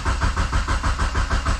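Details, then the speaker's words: 2G GSX on FuelTech ECU, new tune: steady cranking at about four even beats a second, spins freely but never catches; no crank RPM signal, later traced to CAS connector; crank no start. "All right, let's see if this thing can turn over. Let's try it. Okay, we've got no signal from the crank."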